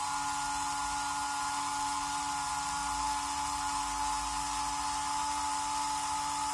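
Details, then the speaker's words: Märklin 7186 turntable, previously sluggish clockwise and stalling, after repair with Märklin oil on cogs, running in both directions: steady even whir at constant speed, no grinding, catching or speed wobble; normal motor running. "i'm now operating the turntable in both directions just to see how well it behaves"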